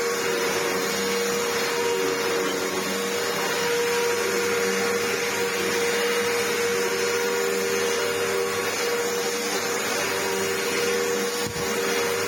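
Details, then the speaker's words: Samsung SU-2911 Jet Propel Light bagless upright vacuum after its restoration and a filter refit, running on carpet: steady, even motor roar with a constant whistle, no rattles or surging. Runs normally, without the earlier blocked-airflow noise. "that's very good and it isn't making that weird noise whenever I fully block off the airflow so I think we've done something good there"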